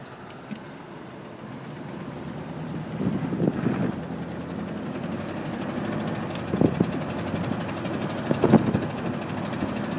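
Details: 1987 Chevrolet K5 Blazer with petrol V8 at idle: low, uneven idle hum broken by irregular heavy knocking bursts. Engine knock with rough idle, cause undiagnosed.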